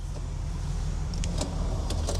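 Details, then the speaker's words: Worn window regulator on a used V8 Audi S5: the power window motor runs over a low engine rumble with scraping, clicking grinding bursts from the regulator cables; window sometimes fails to go down or fully back up. "yeah that is a regulator you can hear it grinding can't you it's the cables"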